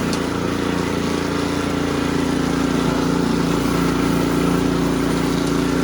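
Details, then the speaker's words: Ariens Sno-Tek 24-inch snowblower after fixing impeller clunking/rattle (washer-related): small engine holds steady even mid-pitched hum with impeller engaged, no clunks or knocks; quiet, normal running after repair. "it is engaging disengaging it is quiet as butter you guys were down in there with me it is you can't even hear it"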